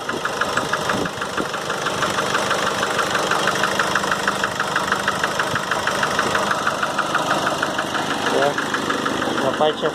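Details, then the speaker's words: 2008 Nissan Frontier 2.5 diesel, 187,886 km, slow to start: hard metallic knock roughly three per second at idle, striking hard when throttle is blipped and released; head gasket blown between cylinders. "ela lo quando se acelera e solta ela bate muito forte ele fica mesmo barulho"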